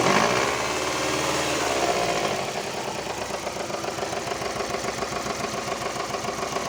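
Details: Subaru Impreza engine knocking: steady rapid knock about three to four a second over the idle right after start-up; internal engine knock, cause unknown.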